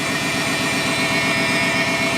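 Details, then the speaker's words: Engine test-run after water pump and hose replacement, air box and intake sensor unplugged, checking for leaks; fast, steady idle with even firing, no stumbles, and no leaks seen; high idle due to disconnected sensors. "It's idling high, obviously, because it doesn't have any of its sensors hooked up, but that looks dry."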